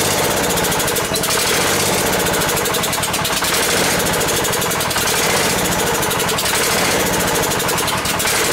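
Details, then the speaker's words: Ford garden tractor, sat long as a no-run, run with throttle raised after it seemed not to draw fuel through the main jet: fast but uneven popping, surging and sagging about once a second; running rough, owner suspects fuel starvation. "try firing it again think it might be starving for fuel"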